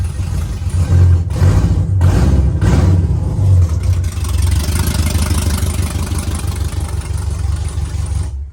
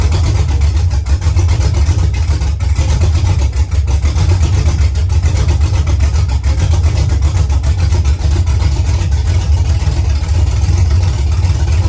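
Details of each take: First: Engine with mechanical DOD delete still active in the tune, before DOD/speed limiter tune removal: deep, lumpy, uneven idle with an irregular lope, running on only 4 cylinders, two per side; DOD suspected as cause. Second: Truck V8 with mechanical DOD delete, DOD now removed from the tune (previously running on 4 cylinders), exhaust not yet fitted: deep loping idle, uneven rhythmic chop over strong low rumble, "baby chop chop"; healthy on all cylinders with mild cam.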